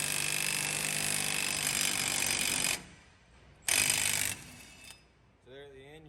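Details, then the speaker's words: Impact wrench seating new wheel studs into the axle of an LS-swapped 1996 GMC C1500 during a big brake kit install, using a greased stud installer tool with lug nut; two rapid hammering bursts, tone changes when the stud seats. "So you put it on there, get your lug nut, just impact it till it seats it. You'll hear the tone change and you know you're done."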